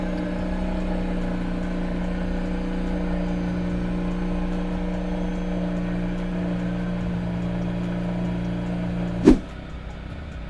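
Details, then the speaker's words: Mazda RX8 rotary from cold with newly installed Megan Racing exhaust: smooth, steady, deep idle with even drone for about nine seconds, then clean shutoff; normal cold idle. "It's gonna be a cold start, so you'll hear it."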